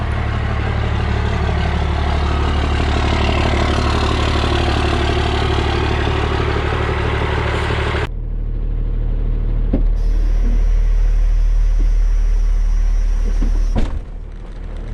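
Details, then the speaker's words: 1995 Dodge 2500 Cummins diesel, NV4500 5-speed, 240,000 miles: idle with low drone and gear whir in any gear but fourth, changing once the clutch goes in; owner suspects countershaft, gears or bearings. "I don't know if you can hear this noise or not, but whenever we put it in any gear but fourth gear, it makes this noise. Clutch in, noise goes away."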